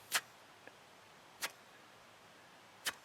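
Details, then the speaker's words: 2010 Mini Cooper S leakdown test at about 100 psi after a compression test, listening with a cupped hand at the intake pipe nearest the intake manifold: sharp hissing puffs as air escapes out the intake side; bent valve suspected. "you guys can actually hear it's creating pressure and coming off. So that means that we have air coming out of the intake."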